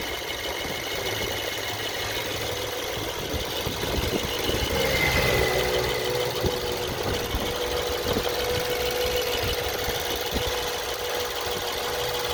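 Sharp knocks come and go over a steady idle, roughly three a second at times; an intermittent knock, source not yet pinned down.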